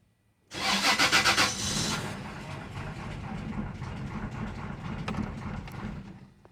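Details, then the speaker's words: 2004 Toyota Tacoma, relay unplugged: about six quick starter beats, then an uneven sputtering rumble that never settles into idle; it stumbles and tries to start but won't run; cause unknown. "Until I unplug this relay, the truck stumble, like try to start but don't even start."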